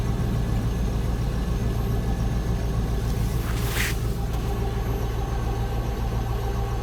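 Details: Range Rover P38 at idle after engine start: a faint tinny buzz comes from under the body, traced to the muffler heat shield resonating.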